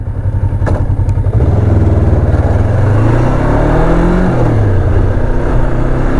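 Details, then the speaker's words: 2005 Ninja 500R parallel twin, 22,000 miles, sat ten years, first ride: strong, even drone rising through revs with smooth gear changes and no knocks; healthy, normal acceleration. "Yeah, this thing is it's really happy. It's a very happy bike. Very happy. Sounds incredible. For 22,000 miles, this thing sounds amazing."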